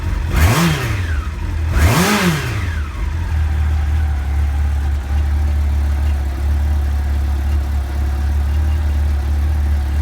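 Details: 1989 Honda CBR1000F with 2014 CBR1000RR stick coils, after repair: two clean throttle blips then smooth even idle; misfire cured by reseating coils that had slid off plugs due to PCV grommets on rocker cover.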